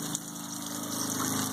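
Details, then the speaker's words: 2002 Mercury 15hp four-stroke outboard, first start of the year, warming up after about five minutes: soft, even low idle with a faint water gurgle and a steady light tick, quiet and healthy. "they're amazing on fuel compared to the old two-stroke they certainly don't have the first get up and go like a two-stroke if this was an equivalent 15 horsepower to roughly the fuel economy the noise level there's so much quieter"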